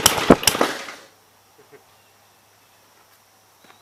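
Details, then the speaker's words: 1951 Gravely Model L walk-behind tractor with Wico magneto, missing fuel bowl, head gasket possibly leaking, running on gas poured into the air filter base: a few sharp loud pops then near silence; backfire. "he backfired there i don't know if you guys saw that"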